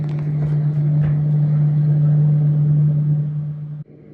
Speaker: Now this top switch turns the light on and off, but for some reason it also triggers the fan in the off position.